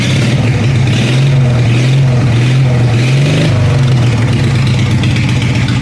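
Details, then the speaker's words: Craftsman 14 hp riding mower single-cylinder engine with new dual exhaust and homemade baffles, starting issue fixed and clutch safety switch bypassed: loud, deep, even exhaust beat with a small blip mid-run and no knocks or misses; running healthy. "sounds like a 40 horse instead of a 14 horse but that's that and we'll be back with more goodies to come stay tuned"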